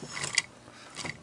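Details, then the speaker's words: Barn-find Honda TRX250X engine on the bench, head off, suspected locked or jumped timing, valves need seating: two quick recoil pulls with crisp ratcheting whir and clean pawl click on rewind; recoil starter working normally, engine turns. "now i'm starting to get a little curious about uh the bottom end if this thing was perhaps taken offline of the transmission so the recoil appears to be working"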